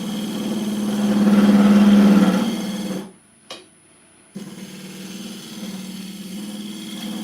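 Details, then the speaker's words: Woodturning lathe hogging out a bowl with a square carbide tool at speed: steady low hum surges louder as the tool works across toward centre, then cuts out briefly; vibration chatter, harmonics. "So just some harmonics there. Some noises."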